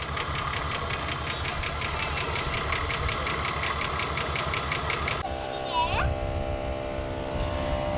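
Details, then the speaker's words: Ford EL Falcon Futura off the road for years, barely run; light, regular ticking about five per second over a steady idle; owner unsure if lifter tap or a bad pulley bearing. "all right so as you can hear that noise I'm not too sure if that's a like a tap it lifter type noise or whether there's a bearing in one of these pulley that um that's no good"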